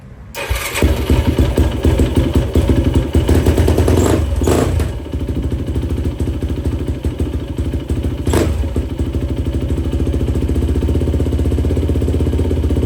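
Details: 2004 Yamaha YFZ450 quad after sitting, carburetor cleaned for a clogged pilot jet and new ignition fitted, on a freshly hooked-up battery: starts readily, revs cleanly a few times, settles into steady even idle; fan kicks on, not overheating. Normal running.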